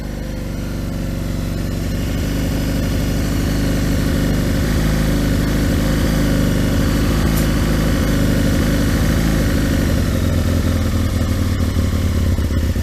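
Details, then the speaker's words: Aprilia RSV Mille 1000 V-twin motorcycle started from cold: steady, lumpy twin-cylinder beat at a fast cold idle, even, with no knocks or rattles; normal cold idle while warming up. "Let's see if this will start. This is on cold look. Good."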